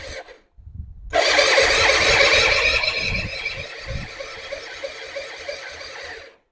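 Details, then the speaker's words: Non-running Suzuki Intruder 250 LC motorcycle bought as a non-runner, fresh petrol, petcock on reserve, choke stuck: starter cranks with steady chug about three compressions a second but never fires; spark confirmed, owner plans compression check; cause unconfirmed. "Okay, guys. Doesn't start clearly. I think we're going to have to check for Okay, check for compression."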